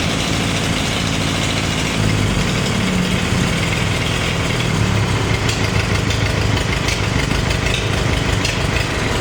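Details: Farmall 350 diesel tractor, freshly reassembled, block warm but temperature gauge low (owner unsure if thermostat missing or bad): loud idle with uneven, lumpy beat, missing, likely a dead cylinder; cracking number one injector didn't change the tone.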